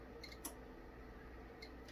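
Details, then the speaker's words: Korad KA3305D DC power supply, channel one with no load, after channel two failed charging a 12 V battery: sharp clicks every second or so as range relays switch at about 6, 11.5 and 22.5 V. "the relays are switching it off and on and they generally click in at about six volts 11 and a half and then 22.5"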